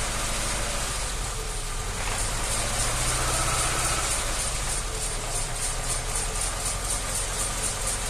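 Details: ZAZ Tavria, front wheels jacked up, simulating driving on the spot in gears one to four: steady running with no gearbox whine, which appears only in fifth gear at 80–83 dB.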